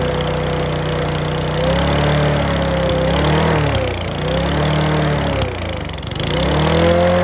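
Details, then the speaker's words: Mountfield V35 150cc (HP414) lawn mower running unevenly with a wandering beat and sharp pops and clacks. The carburettor needle is suspected and needs sorting out. "Yes, that's still popping and clacking. So I think that needle is going to need sorting out."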